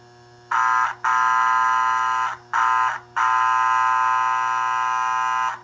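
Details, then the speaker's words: American Flyer 326 NYC Hudson toy locomotive, points serviced, idling in neutral on powered track: steady low hum, then four horn-like Air Chime whistle blasts short-long-short-long from the tender when the button is pressed; working normally. "there's that illustrious or infamous Air Chime whistle sound. It doesn't really sound much like a whistle, although Nathan, I believe was the name of the manufacturer in real world terms, had an Air Chime whistle that kind of sounded like a horn too."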